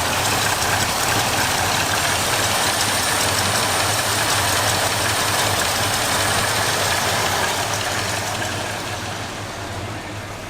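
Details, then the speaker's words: 1978 flood-damaged truck V8 after fuel line repair: steady, even idle with no knocks, misses or hunting, runs smoothly; plastic fuel filter leaks. "fire it up yeah runs pretty good flooded"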